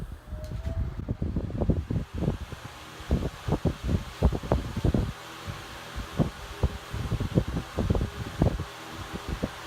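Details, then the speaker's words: Patton High Velocity fan (likely 1990s), running on high speed in cold weather, probably below 50°F: steady low whoosh of blades with some uneven buffeting, no knocking or grinding; normal running. "And we'll turn it back around. We'll run it for you here. Again, that first speed was high."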